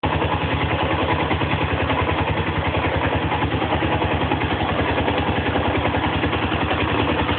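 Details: Zongshen ZS250GS motorcycle engine at idle: steady thumping about three times a second with a light metallic clatter over it; abnormal engine noise, source unknown.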